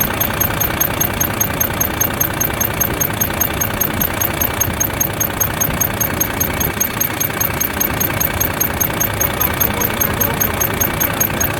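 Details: Volvo FH13 diesel truck two days after rocker arm replacement: sharp high chirps about 2.5 per second over steady idle, in time with the valves, from under the valve cover toward the front; first thought belts; dry, sticking rocker arm squeak.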